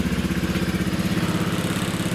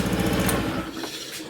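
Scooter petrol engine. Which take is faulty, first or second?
first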